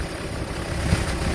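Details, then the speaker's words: 1993 Land Cruiser 80 Series 1HD diesel after replacing a noisy internally broken 10PA17 AC compressor with a used 10PA15; steady, low idle with no whine or rattle from the compressor; normal idle, AC quiet. "you can see there's no noise now before as you can hear"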